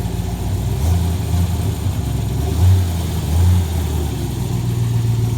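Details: Corvette revived after sitting for years, switched over to electric; low, even burble at idle with a couple of light blips, no stumble or miss: running smoothly, normal idle.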